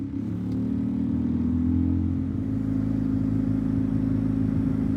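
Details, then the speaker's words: 2014 Ford F-150 EcoBoost near 125,000 miles: heavy, uneven droning buzz from the blower with the fan above speed 2, felt through the cab; likely a broken plastic piece from the air inlet duct fallen into the blower motor assembly. "When the plastic piece breaks, it falls into the fan and it makes a loud buzzing or vibrating noise. Basically, the whole cab can feel it. It's really hard to ignore."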